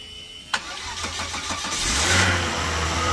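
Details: Volvo XC90 jump-started from a completely dead battery using a GB150 jump box clamped to bare metal: a click, a short burst of quick cranking pulses, then the engine catches and settles into a steady idle; a normal start.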